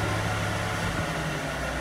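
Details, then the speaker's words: Car idling with a rough, gritty grinding from the clutch release bearing that gets louder when the clutch pedal is pressed, showing the bearing is worn out; after replacement the engine sounds quiet. "اذا عند الضغط على الدبرياج تزيد شده الرحي وهذا دلاله على تلف البليه ويجب استبدالها"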